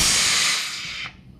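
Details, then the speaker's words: Transmission, shop air from a blow gun applied at the reverse accumulator fluid port to push the reverse band piston down; steady high hiss about a second then cut off, piston moves but leaks past the accumulator cover gasket. "and you hear it come back up when i take air off aha the piston goes down but i've got a leak so there we find our problem"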